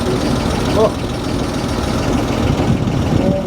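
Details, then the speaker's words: Abandoned 1949 Dodge six-cylinder, revived in the desert after its heads were pulled, with no new parts: quiet, even idle with no miss or valve clatter, run only briefly because there is no coolant and the water pump is locked. "this is a remarkable one brother sounds great it sounds good huh sounds good I like it"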